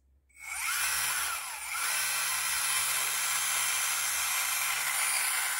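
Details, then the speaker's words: Small electric motor after replacement, mounting screws eased back slightly; quick spin-up to a smooth, even high-pitched whir, running freely with no binding, and it runs down gradually rather than stopping suddenly. "okay you can actually hear the mother change it's now running freely it's not binding anyway"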